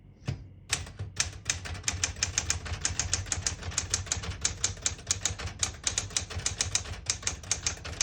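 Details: 1970 Smith-Corona Classic 10 manual portable typewriter, ribbon selector being moved down from the black portion; crisp even clacks about four to five per second with a sharp bright snap; typing cleanly, normal.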